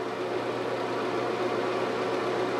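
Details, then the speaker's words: Old cheap builder-grade bathroom exhaust fan running with a loud whooshing roar and low hum like an airplane propeller, with weak suction failing the toilet-paper test. "noisy these fans almost sound like an airplane propeller taking off and they do not have the required suction"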